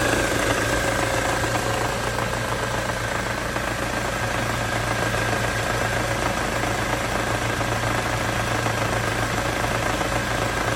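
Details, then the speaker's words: Ford Mondeo 4 2.3 at idle with air conditioning on: sharp, regular knock about four per second keeping time with the engine, loudest between cylinders one and two; cause not yet found. "Слышен звук самое большее между первым и вторым цилиндром. Где-то вот здесь вот."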